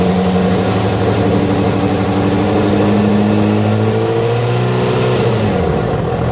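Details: Yamaha FZ6 revving: tone tracks engine speed with a faint irregular rattle underneath; strange noise began after riding ~70 km on two cylinders from a failed ignition coil connector, cause unclear.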